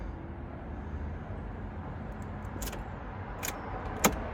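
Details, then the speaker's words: Broken-down Fiat van: key turned with dash lights on, after waiting for the red light to go off, but nothing happens, no starter click or cranking; a silent starter. Van was bump-started the day before; cause not confirmed. "put the key in keys in lights are on yeah right wait for that red light go off try and turn it nothing absolutely nothing"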